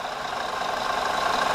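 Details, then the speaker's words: Car idling during a no-start, clicking diagnosis, with a multimeter on the battery terminals reading 14 volts, within the 13.5–14 V of a properly functioning alternator: steady, even idle with a fast regular pulse, no knocking or whine; normal idle. "I'm getting 14 volts at idle a properly functioning alternator should give you somewhere around 13 and a half to 14 volts"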